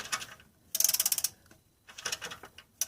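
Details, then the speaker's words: 2001 Dodge Grand Caravan EX, 324K+ miles, crank-no-start with noise while cranking: engine turned slowly by ratchet on harmonic balancer bolt gives short bursts of rapid metallic ticking and slapping between quiet gaps; owner believes the timing chain is at fault. "that's the chain that is actually the chain and I'm not I don't believe it should be sounding like that"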